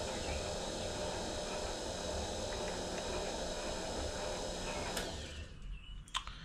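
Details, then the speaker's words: Precision Matthews PM-25MV mill, new X-axis power feed tested against its limit stop: steady motor hum with gear whir runs on instead of shutting off at the stop, then cuts out late; cause unclear, stops need adjusting. "I would think that would have shut off but it didn't why didn't that shut off"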